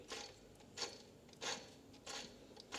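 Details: 2013 Jeep Patriot Limited 4WD, belt removed, tensioner pulley spun by hand: gritty rough rustle rising each spin, about every 0.65 s, unlike quiet idler pulley; rough tensioner bearing, replaced with a Duralast tensioner and belt kit.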